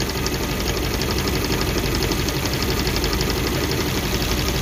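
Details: Suzuki APV (Mega Carry) rarely serviced, shaking, coughing, low power: uneven shaking idle with rhythmic stumble; unplugging number two shows no change, that cylinder dead, suspected broken ignition coil, usually replaced.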